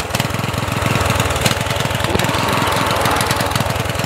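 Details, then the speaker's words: Murray 14.5hp 42-inch lawn tractor, single-cylinder, before repair, throttled to low idle. Uneven lumpy putter about three to four firings a second; a weak spark keeps it running after key-off because the miswired ground impairs the magneto. "it almost feels like when you have it turned off right there's still a slight spark that keeps the engine running but not a strong spark"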